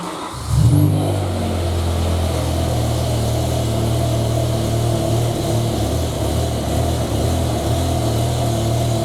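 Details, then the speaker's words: BMW M5/M6 S85 V10 after replacing the failed cylinder 9 ignition coil: catches at once and settles into a smooth, even idle with no stumble; misfire codes cleared. "and there we go cars sound so much happier"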